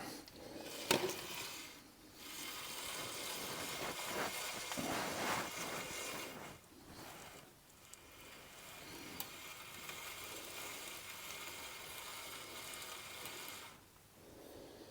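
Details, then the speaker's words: MG ZS 180 rear hub turned by hand during a rear brake overhaul with new calipers, discs and pads; rough gritty grating that rises and falls, a possibly worn wheel bearing, and a hub with bearings is advised if it doesn't free up. "If that don't get any better, then I would recommend just getting a hub for it with the bearings in. It has freed up quite a bit. But you don't want to hear it grating like it is at the moment."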